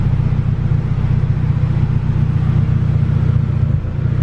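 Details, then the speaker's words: Turbo LS VTEC Civic EG hatch on chipped P28 ECU, restarted after reflashing with fuel pulled from idle: deep, slightly uneven idle with faint popping; lean, air-fuel ratio bobbing 14.8–15.6 versus target around 14, so about 5% fuel to be added back. "now fire this thing back up see where we're sitting might have pulled a little too much out you can hear it popping a little"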